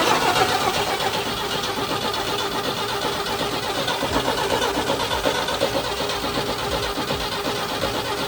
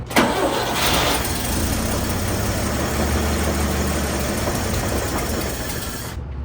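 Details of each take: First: 1960 Chevy C10 Apache barn find, 78,000 miles, cranked on a jump box after fitting a new fuel filter: steady fast starter churn about four beats a second, engine turning without catching; no fuel reaching it yet. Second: 1960 Chevy C10 Apache barn find, 78,000 miles, first start, still drawing fuel toward the carburetor: quick crank, catches at once, settles to an even smooth idle with no knocks or ticks; motor healthy.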